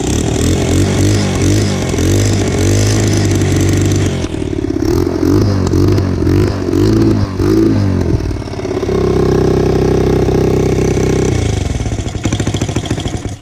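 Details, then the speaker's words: Hot single-cylinder motorcycle after further exhaust tightening, revving: sharp ticking puff on every firing stroke heard up by engine, exhaust felt blowing hard at back; leak at header joint persists, pipe looser at top. "I still hear it up by the engine. I feel it coming out really hard in the back."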